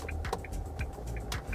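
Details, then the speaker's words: Isuzu with turn signal on while turning the steering wheel: sharp plastic clacks about twice a second over low engine rumble, the turn-signal cancelling mechanism, described as normal, though some owners consider it abnormal. "เปิดไฟเลี้ยวแล้วพอเลี้ยวมีเสียงดังอ่ะมันเป็นปกตินะไม่ได้ผิดปกติอะไรเสียงประมาณนี้ครับ"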